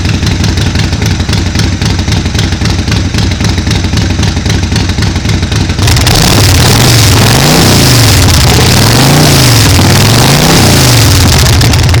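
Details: Harley Sportster 1200 XLC (2005, about 25,000 miles) cold start after sitting all winter, with the battery charged first. Steady, firm potato-potato thump near four beats a second, even on every cylinder; sounds much healthier even though it didn't start right away. Normal idle.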